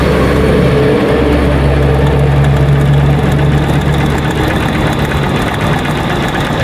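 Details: Cold single-cylinder motorcycle idle: a quick, light, fairly regular top-end ticking that is present when cold and disappears once the engine warms. Cam chain tensioner tick from a weak tensioner letting the chain slap.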